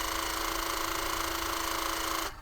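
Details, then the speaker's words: Vauxhall Cavalier, headlamp levelling switch turned from 0 back to 3: steady constant-pitch electric motor whir for about 2 s, then a clean stop; levelling motors running smoothly. "And I can hear them moving absolutely fine. Back to 3."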